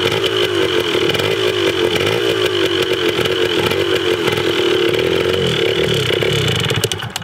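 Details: 1980 Yamaha DT/GT 125 Enduro two-stroke warming up after its first start with an uncharged battery. Crisp, buzzy popping holds a steady fast idle for several seconds, then cuts off. It runs evenly.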